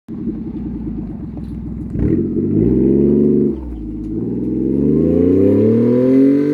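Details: 1994 Honda Acty 4x4 truck, 660cc three-cylinder gasoline, 5-speed manual, 114k km: revs climbing with a loud raspy buzz over the exhaust note from an exhaust leak ahead of the muffler.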